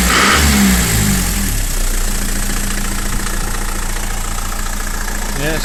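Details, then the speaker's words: Frontera 2.8 diesel, cold-started after sitting about 2.5 months, revs briefly and then holds an even, steady idle clatter with no knocks or misses, sounding healthy. "sounds healthy"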